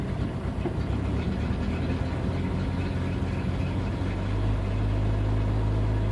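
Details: 1992 Jeep 4.0L six at idle: low, lumpy uneven idle that shifts and steadies partway, an intermittent rough idle of unknown cause. Fuel pump recently replaced, fuel pressure a constant 10 psi if the gauge is correct, ballast 10.5 V; bypassing it and swapping MAP and AIT sensors changed nothing.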